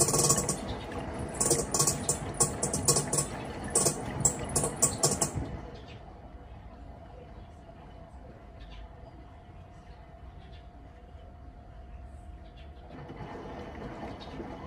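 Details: Panasonic washing machine: irregular clattering and ticking for about five seconds over a motor hum, then a quiet drone; something loose rattling inside. Abnormal rattling noise.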